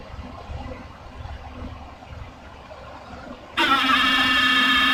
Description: Not really sure what is causing the noise. I don't believe it is the fans, but it is difficult to pinpoint where it is coming from. It is not a constant sound.